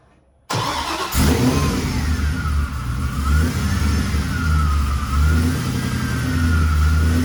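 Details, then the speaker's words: Supercharged V8 Camaro, not yet tuned, just fitted with an extra pulley and a blower lid spacer: it starts and settles into a deep, even idle with smooth rev blips and a faint blower whine, running healthy. "Well, she definitely doesn't seem to mind the extra pulley and lid spacer."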